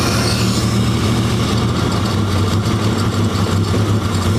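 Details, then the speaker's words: Leyland P76 six-cylinder, stored 5 months, during a lift-the-piston mixture check: a deep, uneven idle throb that stumbles when lifted; lean mixture, float level trouble or stale fuel suspected, and a tight throttle cable holds the throttle open; cause unconfirmed. "Yeah, it doesn't like being lifted. Now, we could have float level trouble, mate."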